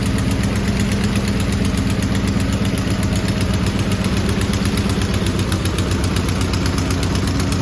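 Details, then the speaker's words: Garden-find 1970s Volkswagen bay window campervan, air-cooled flat-four, first start off the key in over 30 years after seized engine freed; steady even low-pitched running, regular beat, no misses; normal running, van then driven. "Well, that went 10 times better than I thought it would. I can't believe the van has actually drove for the first time in 30 years or more."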